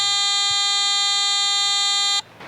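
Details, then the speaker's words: Garrett AT Gold metal detector with a 5x8 double-D coil, pinpointing by pulling the coil toward the user: steady high beep holds about two seconds, then cuts out abruptly. The drop-off puts the target just off the coil tip. "pull it toward me, where my signal drops off, it's going to be right off the tip end of that coil."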